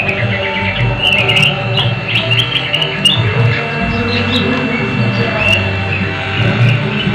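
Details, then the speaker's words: Old Polytron Bigband stereo after cleaning and reassembly, playing faint and thin with a steady high-pitched ring underneath, same on radio mode; weak ringing output, LM324 IC suspected, cause not confirmed. "suaranya seperti berdenging seperti itu item-item terus mendekati ya"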